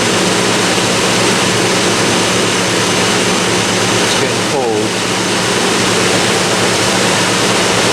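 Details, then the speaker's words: Vintage Westinghouse 5,000 BTU window air conditioner, case installed, before thermostat replacement, fan with compressor running: steady air rush over low constant compressor hum, no rattles, knocks or surging; running normally. "Got colder a lot faster this time now that the coils can actually transfer thermal energy efficiently."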